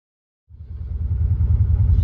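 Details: 2020 Can-Am Defender Pro HD10 road test after driveshaft carrier bearing repair: deep steady engine rumble building as it pulls away, no whine, squeal or grind from the driveshaft; earlier noise not heard.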